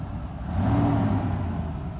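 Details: Mercedes S600 W140 V12, first start after a throttle body overhaul, no warning lights; it picks up cleanly from idle and settles with no flat spot; fuel pressure regulator suspected for poor initial starts; normal free revving.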